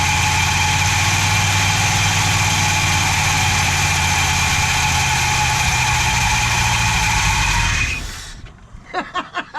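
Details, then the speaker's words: 440 big-block V8 from a 1974 Chrysler New Yorker, first run after sitting, started on fuel poured into the float bowl with a poor carburetor: strong, steady rumble with an even beat, no knocks or ticks, then shutoff; normal running. "Although that thing sounds strong. That carburetor sucks. Yeah. Although, hey, I told you it would go."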